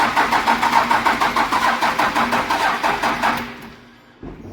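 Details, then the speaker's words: 12-valve diesel hotshot truck: starter drags slowly, about three strokes a second, sagging and fading after three seconds; batteries dying and terminals needing replacement; slow crank from weak batteries. "Oh, she's a dying. She's a dying. Yeah, you need batteries, definitely."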